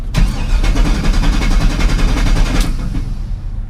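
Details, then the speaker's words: 1987 GMC S-15 minitruck with LS swap, stalled on the drive home; fuel trims cleared with HPTuners, fuel pressure good (about 50 psi): starter churns steadily about 2.5 s without catching. Intermittent crank-no-start that later fired up. "This is starting to be a really weird issue because it starts and runs and it's fine, and then it's not, and the fuel pressure was good."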